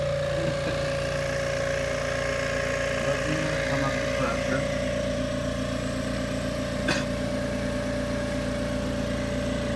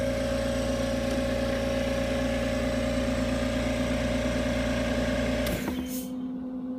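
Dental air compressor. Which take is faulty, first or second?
first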